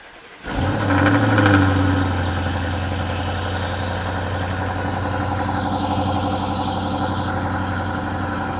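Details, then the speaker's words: BMW 7 Series N63 V8 with catalytic converters removed and downpipes fitted, no tune; the starter catches instantly, revs flare with a deep burble, then settle to a smooth steady idle; normal cold start. "ცივ დაქოქვაზე ძაან სასიამოვნო ხმა აქვს და სიარულშიც ძალიან მაგარი ხმა აქვ რა"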